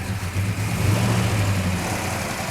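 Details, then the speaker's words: 1967 Plymouth GTX 426 Hemi 4-speed convertible at idle on start-up test, air cleaner off: lumpy, deep V8 idle with fast top-end chatter, ordinary mechanical-rocker rattle, nothing wrong. "That's what all that rattling is. Yeah."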